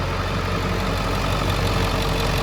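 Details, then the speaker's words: 2003 Ford F-350 7.3L Powerstroke turbo diesel, 93,176 miles, one owner: steady, even diesel clatter at idle with no misses or stray knocks; engine runs very strong and sounds very smooth, a normal diesel idle. "Engine runs very strong, sounds very smooth."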